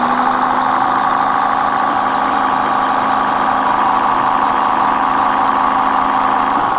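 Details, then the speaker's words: Mate X 20x4 fat-tyre e-bike geared hub motor after a first repair attempt and regreasing: steady mid-pitched drone with thin higher hum, gears still noisy but less than before; owner suspects too little grease and plans to regrease. "So it's still noisy, but it's not as bad, is it? As you can tell."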